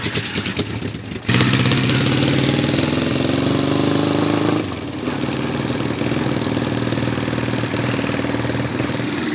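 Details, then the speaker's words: 1975 Honda CB550 motorcycle, parked 10–20 years: engine catches, blips, then settles to a slightly lumpy idle with one cylinder missing; owner suspects a fueling or carburetor tuning issue. "they always want to turn on they always want to run even though it's missing a cylinder it almost feels like it's not even skipping a beat"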